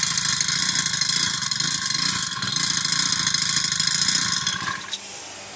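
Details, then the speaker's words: Old Honda GX35 four-stroke brush cutter that repeatedly fails to start; runs high and uneven only with throttle held, dies within a second when released; suspected carburettor and idle-speed setting, not confirmed. "ต้องได้กำคเรงซอยแล้วครับปล่อยแล้วก็ดับปล่อยแล้วก็ดับอาการนี่น่าจะอ่าคาบูก็มีส่วนครับ"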